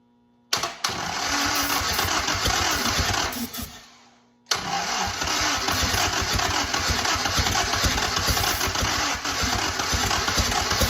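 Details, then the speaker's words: 1943 Willys Go Devil WWII Jeep engine while adjustments are made to stop backfiring: starter churns unevenly, the engine fires briefly, then cranking slows and fades as the battery dies. Weak battery, slow cranking with brief firing. "Never fails that the battery starts to die when you just get it there. Never fails."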